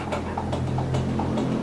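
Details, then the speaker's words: GMC 56-inch industrial ceiling fan, unrepaired, coasting down after switch-off: rhythmic knock roughly every 0.4 s over low hum; wobble rattle from bent, unbalanced blades. "Dan juga saat dimatikan. Oh, berisik sekali."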